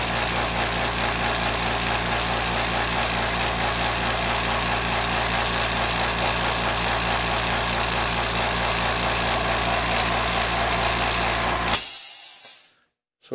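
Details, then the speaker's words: California Air Tools 2010A ultra-quiet air compressor running: steady, even pump thrum at about four beats a second with a constant hum, about 75.5 dB versus over 95 dB for the old pancake compressor, then shuts off; normal running. "I think you can see it was probably averaging what shows an average around seventy five and a half decimals compared to the other compressor which was easily above 95 decibels so a noticeable difference in sound"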